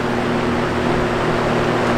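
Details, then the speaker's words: Vintage Toastmaster box fan running on high: loud steady low hum with a buzzy edge and a rattling grille underneath, from somewhat loose stator windings in the fan motor, common in old vintage fans. "Now, I will say one thing about this fan, and that is that it does have a bit of loose windings. So, loose windings are actually pretty common in old vintage fans, both of them."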